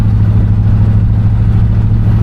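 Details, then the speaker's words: 1975 Buick LeSabre convertible, 350 V8, automatic, cruising on test drive: smooth, even, steady low drone, no belt squeal, knocking or weird noises from under the hood. Normal cruise. "And, as you can hear, she'll cruise perfectly with zero issues as well. So, everything sounds good. I'm not hearing any weird noises from under the uh hood. No belt squeal or anything like that."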